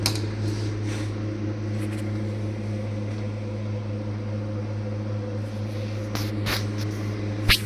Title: Blue Star deep fridge sound problem